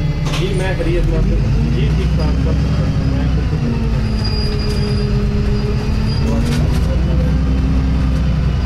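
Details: Inside moving Arriva Yorkshire Wright Commander bus 1409 (YJ57 BVT), Dewsbury to Leeds service 203: thin wavering squeal rising and falling over low engine and road rumble, source unclear.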